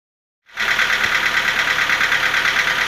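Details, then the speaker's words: Nissan QG15DE engine on a cold start: sharp metallic ticking knock, about three per second, that grows stronger as it runs. It fades as the engine warms, though a ticking remains, and the source is unknown. "Вот запуск, как сказать, на холодную. Что-то все сильнее, сильнее начинает вот этот стук проявляться."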